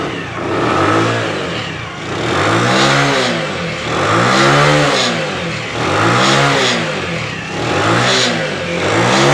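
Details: Motorcycle after carburetor cleaning with jammed main jet passages cleared, no oil leaks seen: clean blips rising and falling about every two seconds, crisp pickup, smooth return to idle; carburetor running healthy.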